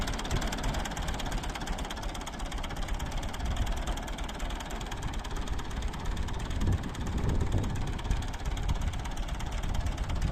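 A deep, lumpy diesel idle with an uneven beat and occasional stumbles, typical of a cylinder missing.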